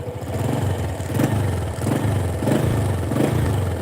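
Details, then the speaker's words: Honda Supra 125 after repair of the connecting rod knock that sounded as tek-tek-tek when throttled: clean throttle blips rising and falling smoothly, no tick or clatter; normal revving after repair. "nah ini Supra yang suaranya tek tek tek gitu teman-teman kalau di gas itu ada suara sekarang udah sembuh"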